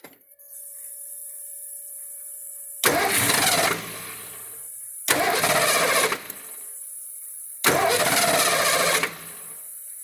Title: car won't start acts like it wants to fire but then stops